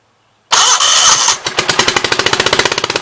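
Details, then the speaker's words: 1976 Gravely 816 tractor engine started with blaster sprayed into carburetor throat: hard start then fast uneven pulsing near fourteen beats per second, one cylinder seemingly not pulling; owner nearly sure that side's exhaust valve is stuck open. "I'm almost 100% sure that the exhaust valve on this side is stuck open, so it would be nice if it would just tink and go in, but I doubt it."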